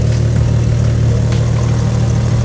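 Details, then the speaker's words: BMW M4 Competition with a big-turbo kit, idling: a steady deep note with a faint irregular tick from a downpipe exhaust leak, as there is only one flex joint; a new downpipe is coming. "It's fine with the exhaust leak, but in the next video we won't have one anymore. We'll have a new downpipe."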